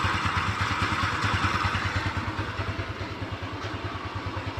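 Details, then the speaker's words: Kymco Easy single-cylinder scooter after a new-stock part was fitted, fixing the earlier krek-krek idle noise near the CVT: putters evenly at idle, about three beats a second, no ticking or clatter; normal idle. "tidak ada suara yang aneh-aneh gejalanya"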